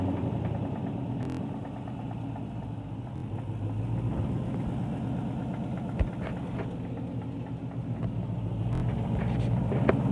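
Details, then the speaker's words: 2012 Mustang GT V8 (Coyote) revved: uneven low knock about three to four per second under the rumble, louder on throttle, from the bottom end; owner suspects rod knock; car died at 40 mph, parked two months. "Seems to be knocking the bottom. Try to take out the valve, see if it was a lifter. Lifter. Noise is coming from the bottom. Might be a rod knob. Every time I accelerate, it gets louder."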